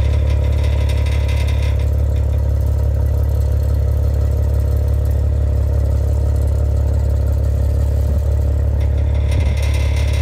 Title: Clacking/Rattling sounds coming from the exhaust pipes of my 2015 Maserati Ghibli